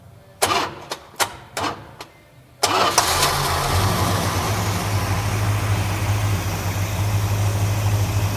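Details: Dodge Super Bee with rebuilt 383 V8, cold start after starter solenoid wire repair: a few sharp clicks, then catches and settles into a deep, steady, even idle; healthy cold start.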